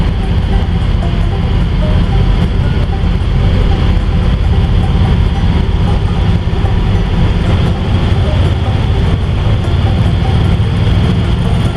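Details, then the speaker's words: 1955 Ford V8 driving after an exhaust leak fix: smooth, even drone under road noise with no puffing or ticking; exhaust now sealed and quiet. "it's nice and quiet now"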